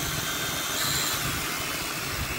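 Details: C88 toy drone after repair, held down by hand and powered on from remote: steady high-pitched buzzing whir from small motors, even and constant with no stutter; motors spinning up normally.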